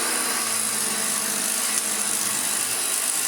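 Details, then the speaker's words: Refurbished Hoover Junior 1334A upright vacuum with new rear motor bearing, running: steady high motor whine with light fast ticking rattle from loose brush roll, which may subside as it wears in; owner tries wedging something beside it. "it's a little rattle coming from the brush roll which might subside with time"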